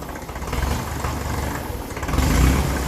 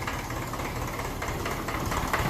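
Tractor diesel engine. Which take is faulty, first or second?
first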